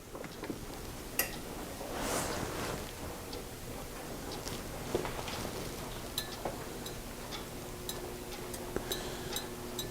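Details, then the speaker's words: Marley MUH35C Qmark 240 V electric heater switched on by a Nest thermostat, heater thermostat turned all the way up: light ticks and creaks as the element heats up before the blower starts; normal warm-up expansion noise. "which we can hear the element creaking and heating up and coming on and when it reaches temperature the blower should come on"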